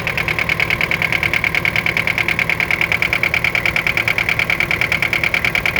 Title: Детонация и стук 4м40.